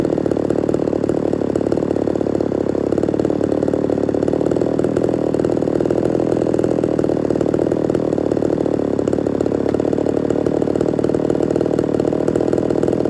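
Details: Ported Homelite Super XL-130 chainsaw on its final test run: steady, even two-stroke burble with no misses or hunting; normal idle, oil and running good.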